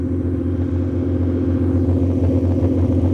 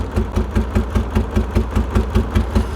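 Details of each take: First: 1989 BMW 535i E34, M30B35 straight-six, after replacing faulty spark plugs, exhaust cut off before cats: steady idle around 800 rpm, up from about 400, even pulses with loud open-exhaust rumble, no misfire. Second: 1989 BMW E34 535i, M30B35 six, pulled from the woods, last registered in 2012: uneven lope, about three heavy chuffs a second with dead gaps. Misfire, owner suspects fuel.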